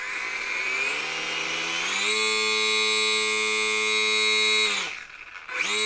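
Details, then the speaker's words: HobbyZone Champ electric micro RC plane bench test, held by hand at full throttle: high whine climbs quickly, holds steady and clean, spools down and back up; motor healthy. "So now let's try the throttle. I'm going to hold on to the airplane here, and we'll move the throttle up. I'm going to go full power."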